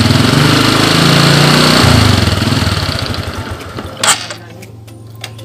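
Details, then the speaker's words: Honda Supra X 125 / Karisma X 125 that is hard to start, runs rough, uses too much fuel and stalls at idle: loud, uneven running that sags and dies after a few seconds; the damaged vacuum fuel valve leaks fuel into the vacuum line, shown via a clear hose. "ternyata bensin keluar dari sini lure ini adalah penyebab dari motor caption-caption karya yang ini rusak"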